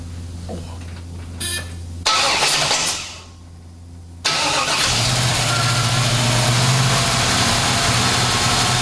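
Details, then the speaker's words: 1968 Chevy Camaro with a new Jegs 350 HO small block Chevy crate engine, first fire before break-in; brief starter cranking, then the V8 catches and settles to a steady, deep, even idle, a clean healthy start. "So now it's time to fire this thing up, do my initial break-in, and hope I did everything correctly and don't end up having to clean a big mess up off the floor. So here we go, first fire, 68 Camaro."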